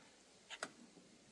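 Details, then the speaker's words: John Deere Z425 zero-turn mower whose PTO blade clutch won't engage; seat sensor tested fine. With power applied directly to the PTO clutch, a couple of sharp single clicks are heard with no engagement hum following. The clutch clicks but won't come on. "applied some power to the PTO clutch and it wanted to click but it wouldn't come on."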